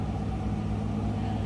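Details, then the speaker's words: 1959 Oldsmobile Super 88 two-door Bubbletop heard from the rear at the exhaust: low, steady burble with an even rhythm, no ticking or knocking, doesn't appear to be smoking; quiet, normal healthy idle. "Slip around to the back so you can hear this run. Pretty quiet. Doesn't appear to be smoking, anything like"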